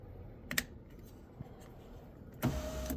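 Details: Kia Sportage 2012 window switch, after its burnt contact points were cleaned and the switch reassembled; a couple of switch clicks, then a brief, smooth whir as the window motor runs normally.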